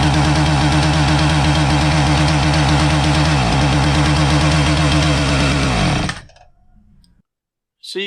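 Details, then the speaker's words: Husqvarna 450 chainsaw that starts but won't rev up: runs flat and rough, doesn't clean up when choked richer, cuts out about six seconds in; ignition fault, not a carburetor or fuel problem. "so if you thought that this was a carburetor problem you wrong this is an ignition problem it's not an uncommon one"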